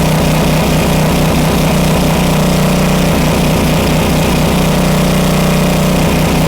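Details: Homelite 2500 W flathead generator after repair of a stuck valve: steady, even drone at constant governed speed with no hunting or surging, frequency holding about 60 Hz (59.9). Normal running.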